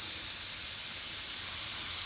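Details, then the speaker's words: Home central-heating radiator heating only halfway, boiler pressure just over 1 bar: steady high-pitched hiss with no rhythm from the opened bleed valve, still no water, heat gradually coming up; trapped air escaping from radiator bleed valve. "Still air coming out, and yeah, I can feel the heat."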